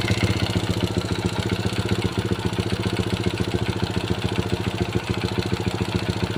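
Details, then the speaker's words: Honda Supra Pit New four-stroke motorcycle from the 2000s after timing chain replacement and fresh oil, cover closed: quick even single-cylinder idle putter about 3.5 beats per second, chain noise gone; piston and crankshaft bearings still suspected. "Oke teman-teman, tadi sudah kita dengarkan bagaimana hasil akhir setelah kita melakukan pergantian rantai timing. Rantai timingnya sudah oke, tidak mengeluarkan bunyi berisik lagi."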